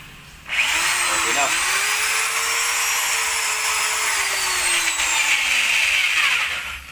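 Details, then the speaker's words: Hand drill repaired by swapping bearings and carbon brushes between two drills, test-drilling cement with hammer mode: high steady motor whine winds up, dips slightly and recovers, then spins down; smooth and healthy, no grinding. "Bubutasan natin 'tong bakal ah semento na ito. Yung debresce natin magka-hammer ka. So ayun, okay naman siya mga tol."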